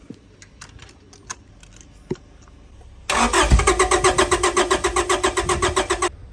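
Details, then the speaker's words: Honda Prelude engine off the road for 16 years cranking without firing while spark plugs are cleaned, even chug of about four compression pulses a second, oil being cleared from cylinders; crank no start, cause suspected, not confirmed. "I'll probably just sit here and crank it quite a lot just to try and get the oil out we are just cleaning spark plugs up if we put the spark plugs in it might TR and burn some of the oil off probably won't run not going to run"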